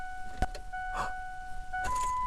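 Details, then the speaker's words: 1999 Ford Expedition: key turned, one sharp click, then no cranking, only dash chimes; failed starter solenoid. "okay so you've turned your key get a little click and that's it we're going to go through and we're going to test and resolve this problem"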